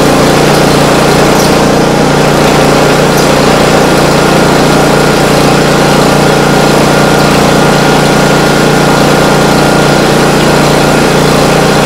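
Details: Swisher 44 rough cut mower after bearing, housing and Kevlar belt replacement with ignition wires reconnected: small engine running steady and even at constant speed, no knocks, squeals or grinding; normal running.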